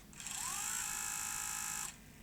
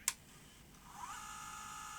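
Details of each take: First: 1989 Sony EVS1000E Hi8 video recorder (Sony U-mechanism deck) in fast-forward: a rising whirr settles into a steady high-pitched spin with a noisy rasp over it, from a misrouted flex cable rubbing the tape deck mechanism. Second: 1989 Sony EVS1000E Hi8 recorder (Sony U-mechanism deck) in rewind after repair: a click, then a faint steady high whir holding even pitch, no grinding noise as before; normal rewind noise.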